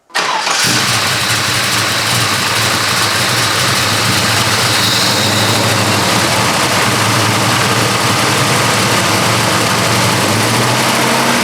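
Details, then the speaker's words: 1972 Chevrolet Chevelle, 454 cid big block V8 with 3.43 gears, normal start and idle after an underside inspection: starter catches quickly and a deep, steady, even lope settles in with no knocks or misses. "what we're going to do now is drop it down start it up and so you can hear the engine run"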